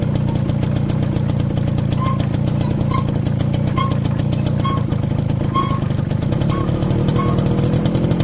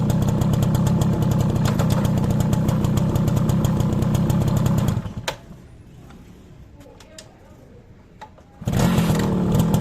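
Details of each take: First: Motorcycle rear drum brake after new brake shoes fitted: sharp, high chirp about once a second while riding, squeaking from the rear wheel. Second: Motorcycle rear drum brake that was noisy after new shoes, now cleaned and with the springs lightly greased: the engine putters evenly at about four beats a second with no squeal or scrape, so the brake runs quiet.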